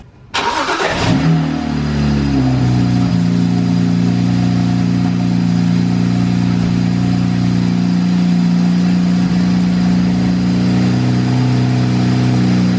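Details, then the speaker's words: 2007 BMW 335i after aftermarket oil cooler install, coils reconnected: cranks briefly, catches cleanly, settles to steady even idle with no misses, knocks or rattles; no leaks. "So as you just saw, it starts and it's not leaking."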